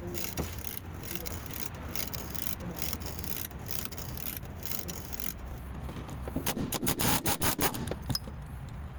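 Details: Toyota Yaris, noise when turning the steering: dry rubbing creak with a few sharp clunks as the wheel is turned; worn strut top (shock absorber) mount binding under steering load.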